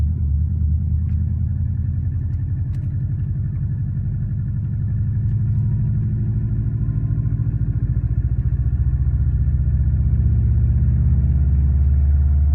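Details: Warm 2004 Subaru WRX stage 2 boxer at idle, 150 psi compression, 5-10% leakdown, no oil burning: quick even steady tick over low rumble; suspected piston slap, actually cracked up-pipe flange exhaust leak.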